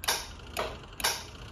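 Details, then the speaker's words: Honda CR-V K-swap with KPro v4, key on and fan off, AC button pressed: three crisp clicks about half a second apart as the compressor clutch engages, though the radiator fans don't come on; normal AC compressor clutch engagement. "as you see my key is on and then I've got the fan off right now but if I kick it on like the button comes on you can hear the clutch on the compressor engage"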